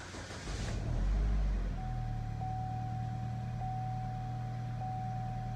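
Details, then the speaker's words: Equinox after a timing chain failure, restarted after clearing 16 stored codes; previously in limp home mode with the radiator fan running. Short crank then catch, settling to a smooth steady low idle with a faint ticking hum, fan now off. Normal idle. "Oh yeah. I can already tell the difference. The radiator fan's not running, which it was running earlier. It was running earlier because it was in limp home mode still."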